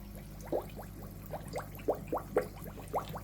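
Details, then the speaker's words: Zacro aquarium air pump with its air valve opened in quarter turns. A faint steady low hum sits under irregular gurgling a few times a second; the noise comes from the airstone, not the pump. Normal running with airstone gurgling. "And as you can hear, all the noise is coming from the stone. I'll give you a link to a video I done to make these quiet, by the way. So, that gurgling."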